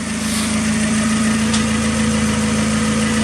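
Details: Mazda Miata NB just after head gasket replacement: smooth, steady four-cylinder idle with an even low pulse, no knocks, misses or hunting; running cleanly.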